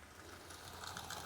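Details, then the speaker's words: New Bachmann 9F steam locomotive model at the end of running-in, on a second-radius curve: a quiet, uneven metallic clatter and ticking like a tin of nuts and bolts, slowing on curves. Mechanism runs rough; cause not confirmed. "yeah it's not a nice runner it was doing that the whole time slowing down on the curves it sounds like a tin of nuts and bolts as it runs along it's clanking"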